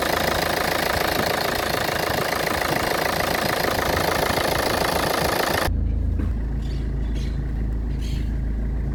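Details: Car engine running with heavy noise and the whole chassis shaking; loud, rough, uneven clatter that suddenly drops to a deep steady drone. The cause is said to be something minor but is not identified.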